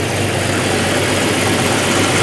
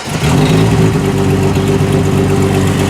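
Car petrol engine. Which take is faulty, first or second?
second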